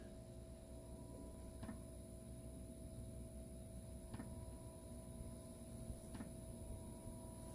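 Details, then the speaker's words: Diesel heater installed in a Sprinter camper van, fed from the van's existing fuel tank, running: quiet, steady fan hum with a faint whine and a light tap every few seconds from the fuel pump under the vehicle. Normal heater operation. "I hear that tapping sound that's the fuel pump underneath the vehicle every few seconds it makes a tap noise that's because it's pumping"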